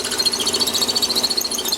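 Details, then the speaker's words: Lathe drilling on a Warco toolpost grinder part: drill breaking through the back face deflects and rubs the bore side wall, a high rubbing squeal near 4 kHz with fast pulsing chatter; progressive drills should clear it. "And you can hear the drill deflecting against the side wall."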